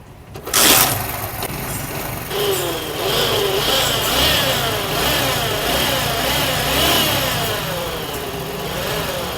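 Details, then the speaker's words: 70cc Chinese bike engine running with a harsh whirring rattle when the clutch is pressed, from a worn clutch-side bearing; described as very dangerous. "यह आवाज आपने सुनी। अक्सर औकात engine में से clutch press करते वक्त इस तरह की आवाज आना शुरू हो जाती है और यह आवाज इंतहाई डेंजरस है।"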